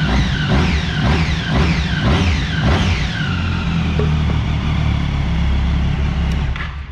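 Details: Daytona motorcycle, cold engine after spark plugs found to be the fault (plug resistances differed widely): a few quick throttle blips, then a steady, even low idle with no stumbling or misses.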